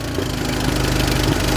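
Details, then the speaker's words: 1976 Fiat 124 turbo EFI conversion at idle, fuel pressure 43 psi, exposed timing belt: steady even idle with regular low pulse, no knocks or misfires; runs well. "Actually runs really good. So it looks like it's running like 40 psi fuel pressure."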